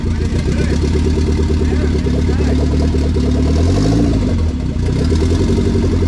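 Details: K20 turbo RHD Honda Civic wagon after its first start, on a startup base map with no radiator fitted: steady, even idle with a clean rev rising and falling smoothly, no misses or stumbles; normal idle and revving.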